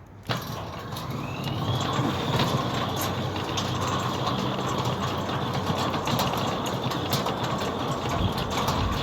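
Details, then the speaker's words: Newly installed Centurion D6 Smart sliding gate motor on a new concrete-set steel platform, moving a heavy steel gate, heard standing over the motor; steady even hum with light whir, no vibration, knocking or labouring, healthy. "Again, if we stand over the gate motor, you'll see that there's no vibration on it. And you can hear that the gate motor is not laboring at all."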